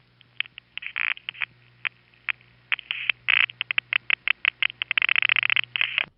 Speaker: after the to tick we then hear midtown tandem in its conversation with the panel office were calling to which is the Fairview Avenue office in Brooklyn and that part sounds like this